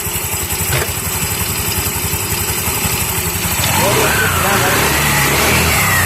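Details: TVS Jupiter/Zest scooter after worn CVT clutch assembly overhaul; putters evenly at idle then climbs smoothly into a clean rev without slipping noises or rattles, running healthy.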